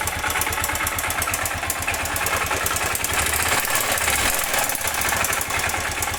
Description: Barulho de biela